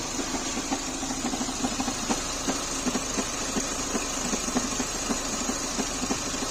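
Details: Renault K4M engine at idle: sharp irregular knocks, roughly two to three a second, tap over a steady idle; an abnormal knock from inside the engine, cause unknown.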